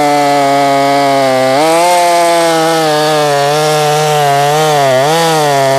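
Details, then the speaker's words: Husqvarna 450 Rancher chainsaw, ported, built on a donor short block and cylinder; after cutting hard white oak it suddenly idles high and holds a steady, sharp, buzzing high idle. Cause unknown. "I don't like that I don't like how it's idling high all of a sudden but it's consistent idling high"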